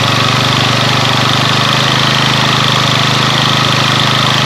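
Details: Yamaha Mio scooter started after rewiring ignition and regulator (kiprok) using used parts and a used carburetor: steady, even single-cylinder idle with no misses or knocks; running healthy.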